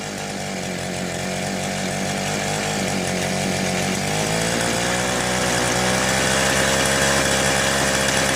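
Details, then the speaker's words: Southland two-stroke post hole digger after fuel-line replacement, runs best at half choke: raspy buzz slowly climbing, note wavering and never settling; poor running, new carburetor suspected. "Alright, I can choke the thing out when I push the primer, and it seems to want to run best about halfway choke."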